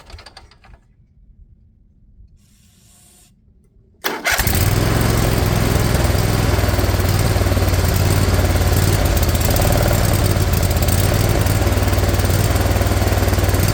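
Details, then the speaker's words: Briggs & Stratton Intek V-twin replacing a blown Kohler Courage: steady sluggish cranking about four turns a second, never firing; weak Briggs starter, battery needs charging, good spark on both plugs. "These darn brake starters so weak."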